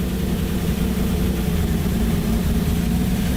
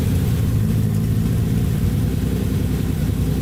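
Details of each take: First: Datsun 280Z first start after engine rebuild, on jump box: steady even low idle with deep exhaust drone and no knocks; it seems to be running a little bit rich. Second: Datsun 280Z first start after engine rebuild, running slightly rich, held around 2,000 rpm: steady, even, fairly loud exhaust drone with no knocks or misses; freshly rebuilt engine sounds healthy.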